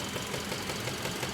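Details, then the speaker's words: 2016 Kia Optima GDI, 78,000 miles, check engine light with code P1326, at idle: a steady, dull, quick knocking over a smooth idle from the lower left near the pulleys and belts; cause unknown. "Check engine light on, air code P1326, accompanied by an audible engine knocking noise. Not a tick, but a knock, coming from the lower left area of the engine near the pulleys and belts."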